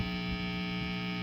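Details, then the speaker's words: Guitar after a DIY wiring mod, plugged into an amp: loud steady low buzz at mains frequency with stacked overtones, worst on the single-coil split; owner suspects a grounding problem, source not confirmed; mains hum. "Fiddle around with it and see what I noticed is that it does work, but a shit ton of hum. I need to figure that out, especially on the single coil, on a split, I mean."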